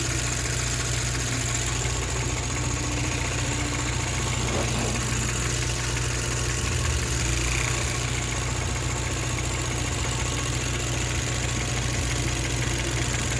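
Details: 2018 Chevrolet Cruze 1.4L turbo with codes P0300 and P0201 (cylinder 1 injector control circuit): steady idle with a slightly uneven, stumbling beat under the drone; misfire judged to be a bad cylinder 1 injector.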